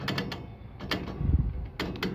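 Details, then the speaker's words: M1MB 056A furnace locking out with four flashes for failed ignition; power and igniter tested good, gas verified on, gas valve jumped directly: a few sharp dry clicks with no ignition whoosh; the gas valve is bad, passing no gas. "I verify gas is on outside this is a non-powered one clicks no"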